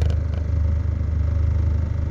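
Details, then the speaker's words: Mitsubishi Lancer at normal operating temperature with the idle servo bypassed, idling about 780–790 rpm: AC switched on, rpm dips slightly then recovers at once; even, steady idle, normal under AC load. "Switch ko yung aircon, bumaba lang ng konti, tapos bumawi agad."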